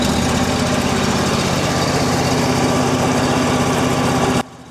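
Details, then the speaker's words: EZ Liner power pack small engine, warm, started on half choke, idling before throttling up; steady even chug for several seconds then abrupt cut-off, a smooth healthy normal idle. "Now that the engine's idling and I've closed the air tank, I'm going to start throttling up."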